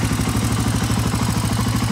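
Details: 1985 Honda ATC 350X fitted with a 400EX carburetor, started hot; even single-cylinder thump about ten beats a second, steady with no misses or rattles; healthy running.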